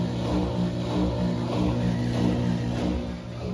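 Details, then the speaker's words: Whirlpool WFW6620HW washer spinning after its drain pump filter was cleaned to fix poor draining and an error code: steady motor hum with a rhythmic swish as the drum turns and water pumps out; draining normally, problem fixed. "and the water is being spinned out there you go very good seems like we fixed the problem"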